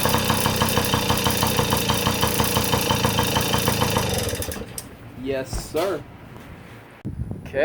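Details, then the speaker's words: Yamaha PW50 two-stroke, sat in a shed for years, test fire after revival before refitting seat: crisp, even popping at steady idle for about four seconds, then shuts off cleanly; runs smoothly. "yeah she runs good well that's pretty much a wrap for the PW50 she's up and running beautifully awesome"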